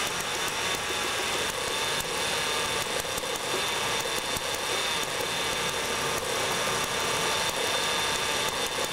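A petrol engine idles with a thin, hissy tone and occasional uneven stumbles, suggesting a misfire. Cause suspected, not confirmed.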